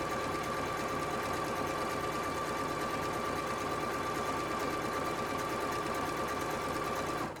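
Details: Singer SE9185 sewing machine stitching after tension set to 2–3 per manual: fast even needle chatter at constant speed that stops cleanly at the end; normal sewing operation.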